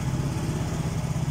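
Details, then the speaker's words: Yamaha Mio J (Soul GT) after a cleaned ISC and an ISC reset with an MST 400 scanner: quick, even single-cylinder putter at a high idle, starting to drop to around 1600 rpm with no misses; settling normally. "mulai turun dia mulai turun di 1600-an ya"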